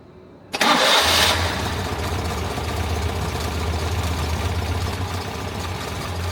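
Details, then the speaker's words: Citroën 2CV after tappet adjustment and service, previously a bit tappety, with new oil, oil filter and cleaned, regapped plugs: brief crank, fires at once, settles into an even quiet idle with no tappet clatter; normal idle. "I'm not an expert in these things, but I would say that that sounds bloody marvellous."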